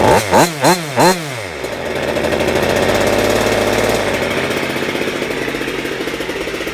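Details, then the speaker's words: Goped Super Xped G290RC two-stroke, 2 hours on engine, Sikk Toys pipe with silencer and bigger manifold spacer: sharp blips then high buzzy unloaded rev peaking at 9,000 rpm, no misfire, running great. "That's the highest she revved, but that's okay because it's not loaded. Running great."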